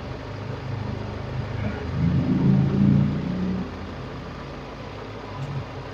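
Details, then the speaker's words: Carburettor car fitted with a homemade temperature-switch idle speed control that raises cold idle rpm and cuts out at about 48°C; mic clipped under the bonnet: the raised idle sags and settles to a slower, even idle as the control switches off. "nah tuh kan pelan sendiri udah mati nanti kalau misalnya dingin otomatis"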